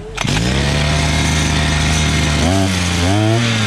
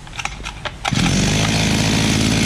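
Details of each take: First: Imported 43 cc two-stroke brush cutter, carburetor screws being set from closed to about one and a half turns: steady high buzz that sags and surges, then hunts lower; mixture knocked out of adjustment while adjusting. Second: Imported 43cc brushcutter after carburetor adjustment, upper screw 1.5 turns and lower two turns out: catches after a few pulls and holds a steady, high buzzing rev with no stumbling or surging; normal running at high speed.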